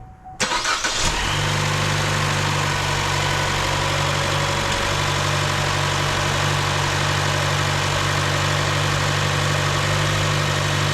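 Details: 2015 Chevy Cruze 1.4L after replacing valve cover and intake manifold for lean code: engine catches after brief crank and settles into steady even idle with no misses, ticks or hunting; fuel trim near zero.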